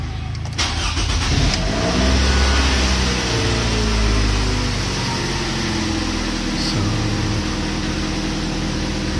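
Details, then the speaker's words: Toyota Camry 2.4L 2AZ-FE cold start after an oil change and water pump and tensioner bearing replacement: catches quickly and settles into a smooth, even fast idle; the earlier noise is gone, and idle should drop once warm. "cold start pa tayo, mga klinika, no? Maya maya lang, no, pag na-reach na yung normal temp, bababa na ng kusa yung idle natin, mga klinika, no."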